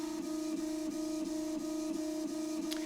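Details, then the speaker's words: Prusa i3 Mk2 after Drylin bearings were fitted in the head: gritty rumble on long axis moves from the remaining original linear bearings, which are still noisy. "I did hear, I'm sure you guys heard it too, when it was moving these axes really far, you still can hear the noise that the bearings make"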